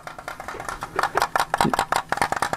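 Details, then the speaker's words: Sigma DN 60mm f2.8 lens for Micro Four Thirds, taken off the camera and unpowered: quick light clicking rattle in bursts from the loose floating focus mechanism; normal, and it holds still once powered on the camera. "you may be able to hear the rattling and that's the focus mechanism it's a floating focus mechanism it's a little bit disconcerting at first"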